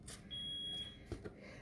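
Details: Smoke alarm indoors in a craft studio during a live craft session gives one sharp high chirp about a second long over a quiet room; something is wrong with the alarm, cause unknown.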